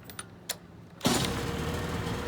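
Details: 1987/88 Mercury 35 hp two-stroke outboard after new starter and solenoid replacing one that needed several key turns: a couple of faint clicks, then the motor catches at once and settles into an even, steady run with no knocks.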